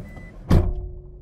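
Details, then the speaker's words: Pickup truck door closing with a heavy, dull slam and a short rattly tail during a post-purchase inspection. Abnormal door closing noise, possibly indicating past collision damage, suspected. "geralmente situações como essa com esse barulho estranho no fechamento da porta significa que a caminhonete tem problem talvez de batida"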